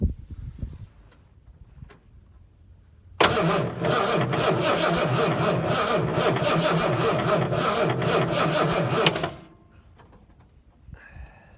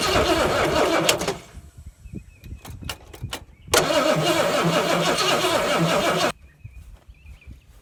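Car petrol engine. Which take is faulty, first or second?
first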